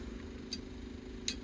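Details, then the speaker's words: Tree shear attachment, freshly wired, with the switch grounding the chopping solenoid circuit in the workshop. Two crisp separate clicks about 0.75 s apart over a quiet hum as the relays pull in normally, and the wiring works. "Can you hear this? That clicking noise makes the relays go click click."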